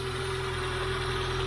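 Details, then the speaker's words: Peugeot 106 S1 Rallye idling. An even, steady low drone with no misses, knocks or hunting; it idles smoothly and revs cleanly, no bearing noise heard. White smoke appears after a few minutes of running, so a failed head gasket is suspected. "but she does sit and idle quite happily and she seems to rev up cleanly"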